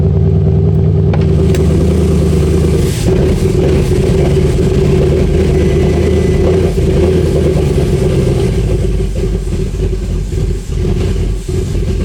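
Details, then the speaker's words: Porsche Cayenne GTS, first start after sitting abandoned: loud, uneven V8 with a lumpy, stumbling beat and clatter over the exhaust rumble, shut off by hand; owner suspects heavy misfiring, cause unknown. "That doesn't sound good, does it? That didn't sound that good in the end. I turned it off, so it didn't die. But still, it felt like a lot of misfiring."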